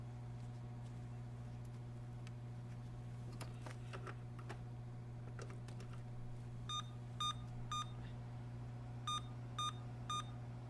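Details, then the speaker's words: Emerson Elite SX386 computer, after a CMOS reset by removing the battery, still with the replacement 60 ns SIMMs: over a fan hum, two sets of three short, evenly spaced beeps at power-on; the owner is fairly sure it is the memory beep code. "yeah that that's i'm pretty sure that's the memory beep"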